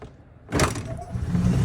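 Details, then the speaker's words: EZGO TXT golf cart, 298cc Remy engine, after new fuel pump, filter, lines, carburetor, air filter, belts, oil and filter: previously no start, now catches at once and settles into steady low rumble pulling away; normal start and drive-off. "oh damn she took right off she ready hey y'all seen it from a no start to a fire up"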